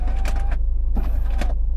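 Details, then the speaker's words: 2013 Skoda Octavia with the window stuck open, switch pressed: the motor hums steadily, so it has power and likely works, while gritty crackling bursts come from the regulator cable. The window regulator has failed and a replacement was ordered. "is the cabling of the window regulator crackling it is safe enough to say that the window regulator has failed in this"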